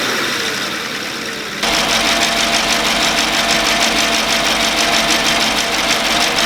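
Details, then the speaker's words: 2014 Chevy Silverado 5.3L after AFM/DOD delete, first start after engine reinstall: sharp even ticking about three per second over steady idle, sounds like failed AFM lifters; persisted after driving, cause suspected, not confirmed. "as we all know the afm lifters are very prone to failure and when they fail it sounds exactly like my truck sounds right now"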